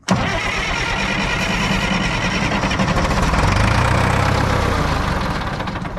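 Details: Front end loader diesel, unused about 15 years, started on ether with little nasty-looking diesel in the tank: catches right away, runs a few seconds with a rough, uneven beat, then fades and dies; it sounds fuel-starved, cause not confirmed.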